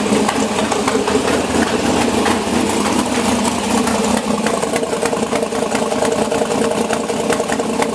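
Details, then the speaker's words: LS7 V8 in an S10 with new IAC log, both banks balanced with a synchrometer: loud, choppy idle with even pops from both sides, no hunting or stumbling; sounds much better than before when one bank was louder. "Now they're both even, and I've got the same amount of air using my little synchrometer coming out, and it sounds a whole lot better."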